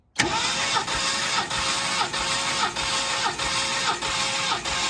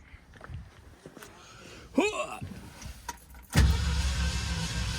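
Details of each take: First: 1969 Mercury Cougar XR7 convertible V8 compression test, throttle held open, cylinder 5: starter cranks steadily with even pulses about every 0.6 s, no skipped strokes; gauge reads 192 psi, strong compression. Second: 1969 Mercury Cougar XR7 convertible V8 compression test, cylinder 4: after a window whirr the starter cranks with a low churning drone and an off-sounding beat; reads only 59-60 psi, suspected cylinder fault, not confirmed.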